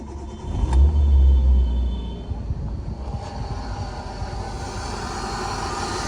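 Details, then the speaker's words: 18-year-old Hyundai Santro Xing, cold start after standing a long time, in neutral, after throttle body cleaning and ignition coil wiring repair: brief start surge settling into an even, steady low idle with no misses. "देखिए बिल्कुल smooth condition में है। अभी तो ये cold start है। क्योंकि ये बहुत टाइम बाद स्टार्ट हुई है कार भी।"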